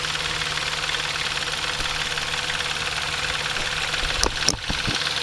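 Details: Intrepid 2.7 idling after water pump replacement: constant high-pitched metallic chatter, caused by timing chain tensioner not released correctly during installation; fixed afterward.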